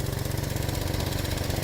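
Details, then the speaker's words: Vauxhall Mokka with engine management light on, on ramps: steady idle with a fast puffing chuff on every pulse from an exhaust leak ahead of the O2 sensor; the sensor reads bad, possibly because gas rushes out before reaching it. "So that O2 sensor there, it was saying is bad, but it's maybe not seeing the gas that it's expecting to see. It's all rushing out of just there actually."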